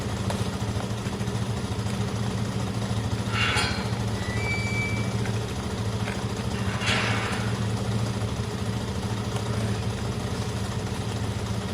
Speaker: i'm just charging the batteries up guys i know it's not ideal idling bikes for no reason well this one's very clean running